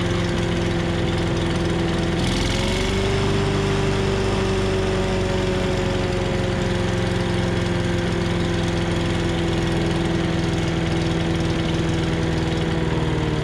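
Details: 5.5 hp Tecumseh engine on an MTD Yard Machines chipper/shredder after a carb clean, governor linkage sticky. After a brief speed change it settles into a smooth, even idle with no misses or knocks; running healthy.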